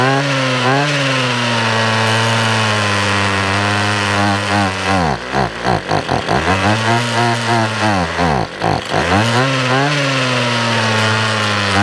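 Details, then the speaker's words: 6-year-old Ryobi gas weed whip, long unused, running on half choke: buzzing note sags, stumbles into choppy misfires and recovers, surging and struggling; owner suspects carburetor, also leaking fuel cap screen, possibly spark plug or pickup tube. "All right, well, at least we got it running. It might need a new carb because it's been setting for so long."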